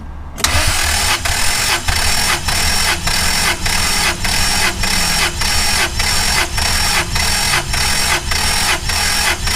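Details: Starter cranking during a compression test on a Toyota 5VZ-FE 3.4L V6, ignition and fuel disabled, plugs removed, throttle held wide open; even cranking about 1.5 pulses a second with no stumbles; cylinder 5 reading about 190; compression healthy.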